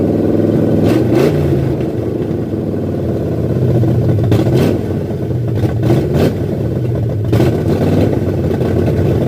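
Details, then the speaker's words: 1978 Ford F100 V8 with new Comp Cams cam, first start for cam break-in, no coolant in it: loud, steady high-rpm roar with a few sharp clatters, running strong. Normal high idle during cam break-in. "got a break in that cam, so it needs to like maintain a high RPM for a little bit."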